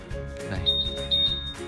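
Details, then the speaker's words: Honda/Yamaha smartkey scooter find function: two short high-pitched chirps over background music and clatter as the scooter answers its key's locate button as intended. "chức năng chọn các bạn sẽ tìm được có những nhà định vị xe các bạn nó sẽ ra tiếng kêu"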